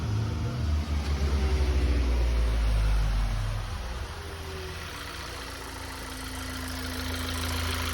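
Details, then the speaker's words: VW GTI that would not start after a leaking fuel injector, fixed by swapping in another intake manifold with good injectors: brief rev dropping to a smooth even idle, steady low rumble, no misses or knocks. "So, I had an extra intake manifold off another car with good injectors and no check engine light for intake manifold stuff. So I just swapped it out. Running good now."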